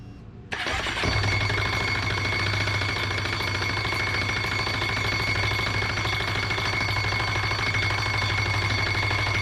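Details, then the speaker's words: 2005 Yamaha Majesty 400cc scooter revving high and not holding speed; at a fast idle a thin high whine and rough scraping from the drive side, where the front variator pulley nut fell off and the loose pulley scratched the clutch cover. "it started revving up real high making a horrendous noise coming from the like the variator and not maintaining speed"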